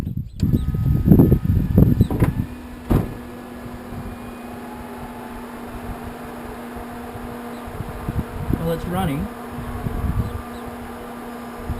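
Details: Newly fitted electric power steering pump in a V8-swapped Toyota Hilux, first power-up: after handling noise, a low steady motor hum settles in and runs evenly; pump spinning normally.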